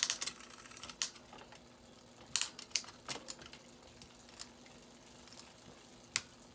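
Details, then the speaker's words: Cheap used Trek hybrid bike: short crisp clicks over a few seconds with no grinding or chain rasp while shifting the front gears; front derailleur works perfectly and needed no adjustment. "Wow. Yeah, front gears work perfectly too. So didn't need to do any work on that."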